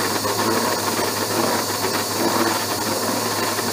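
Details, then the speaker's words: Keyway slot cut in a broach bushing on an Abene mill at the slowest table feed, slowed further: harsh, rough cutting noise with an uneven rattle and faint squeal; cutter chatter, suspected to be from a cutter not as sharp as thought. "let me try slowing her down just a little more well slower way down but i'm still getting some chatter i said this cutter may not be as sharp as i thought it was"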